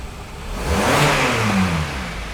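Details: 2012 Hyundai Sonata 2.4L GDI at idle with fuel pressure about 730 psi at set point: clean quick throttle blip, note rising smoothly then settling back to idle with no knock or miss; normal rev.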